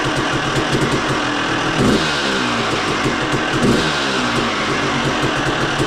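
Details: Motocross two-stroke blowing heavy oil smoke; crisp crackle with throttle blips rising and falling, runs and revs; owner suspects crank seal not done properly rather than jetting; smoke not audible.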